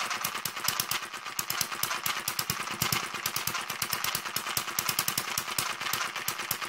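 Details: David Kerzel hit-and-miss model engine, newly finished and still running in (water-cooled, spark ignition, inlet/exhaust valves): fast, steady metallic ticking clatter over a light engine beat; tight new gears noisy until run in, governor and exhaust mechanism still stiff.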